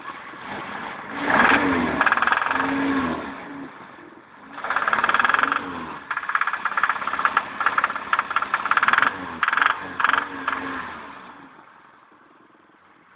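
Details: BMW M10B18 engine; sharp irregular knocking over the engine, louder on each rev blip; internal engine knock, cause unknown.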